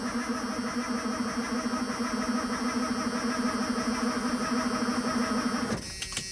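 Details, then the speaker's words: 1991 Ford F250, after sitting: with fuel, air and spark confirmed, labored uneven slow cranking at roughly 1.5 beats per second, no start; owner suspects it isn't spinning fast enough. "Okay, it may it may not be spinning over quite fast enough."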